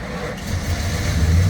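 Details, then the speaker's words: Auction truck in Phoenix with an apparently new master cylinder, started off a borrowed jump box: catches and settles into a strong, even low rumble without knocks or misses; normal start, runs smooth. "Let's go, dude. Listen to it. Sounds real good, bro."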